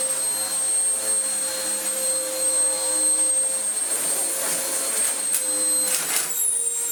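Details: Vax Power U84 upright vacuum after a new belt fitted for a belt running off-centre; steady high motor whine with constant airflow rush and even tone, though an air leak remains; running normally.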